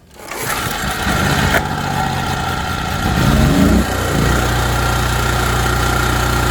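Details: ETQ3000 3000 W portable generator, previously non-running, after service, started on choke: it catches, surges briefly, then settles into a steady, even hum with no knocks or misses. Normal running.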